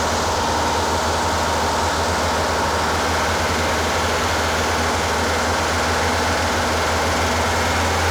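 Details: Rebuilt Porsche 912 flat-four in a 911: fast, busy idle with steady droning beat, revving higher than it should; a little smoky, possible oil leak; over 35 degrees advance at only 2500–3000 rpm; over-advanced ignition timing.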